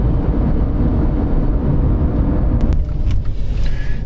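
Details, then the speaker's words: 2010 Dodge Avenger 2.4 on a road test after front wheel bearing replacement: steady low tire rumble at speed, with no more bearing noise. "no more noise that's good all I hear now is tire noise to be expected"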